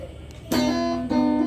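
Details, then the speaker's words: Fender electric guitar: two clean strummed chords with no crackle or static when the cable is wiggled; only slight hum from the low-quality amp. Signal path healthy. "so you can see I've got no more static when I wiggle it"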